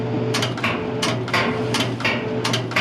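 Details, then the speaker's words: Whirlpool MGDC200XW2 gas dryer with a no-heat complaint, after replacing the thermal fuse kit: sharp clicks about twice a second over a steady low hum as the gas valve energizes; working normally. "That's the click we didn't have because we lost power before it got to the burner."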